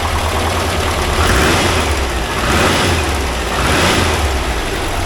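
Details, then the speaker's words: 1982 air-cooled VW Vanagon Westfalia engine after valve adjustment and tune-up: even, steady idle with low smooth drone and gentle swells, most of the earlier top-end clattering gone; starts right up, ignition and oil lights go out; normal idle. "And I got rid of all the clattering, or a big bit of the clattering. I'll run it for a while, then we'll do it again. But actually that sounds good now."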